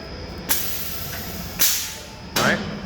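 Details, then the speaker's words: Boss Tables WHC/Pro Series scribe with 90 psi air supply, hold-up pressure about 60 psi and down pressure about 20 psi: the scribe cylinder fires as three sharp air-driven thumps, each with a short hiss, about a second apart; normal actuation. "this is your scribe cylinder down pressure right so when i turn my scribe on you can hear it hit"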